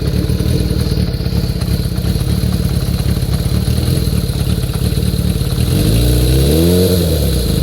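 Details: Kawasaki Zephyr 400 (ZR400C) after tightening the notch-type cam chain tensioner by about two notches: a steady idle with one brief rev and no clear chain rattle, sounding settled.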